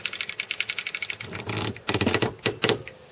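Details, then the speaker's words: Boat trailer winch cranking a boat up: quick sharp ratchet clicks, slowing as load changes, show the spring-held locking pin engaged and the winch working properly. No clicking would mean the pin is disengaged. "this is the second tip when you start pulling that boat up on your trailer you're going to hear a clicking sound"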